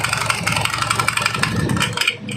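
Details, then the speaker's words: Honda Beat carburetor scooter, CVT cover removed: CVT runs even rougher, uneven rattling clatter and irregular knocks over the engine note; interior very wet, drive belt in very bad condition, cause still being checked; complaint of knocking and slipping CVT. "Nah setelah dibongkar suaranya makin kasar seperti ini ya teman-teman"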